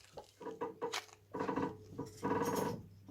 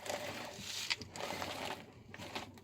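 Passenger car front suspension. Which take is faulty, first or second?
first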